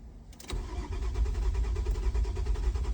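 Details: Marano crank-no-start: starter cranks steadily at about three turns a second with low even chuffing but never catches; no tachometer reading though code reader shows RPM; needs further diagnosis.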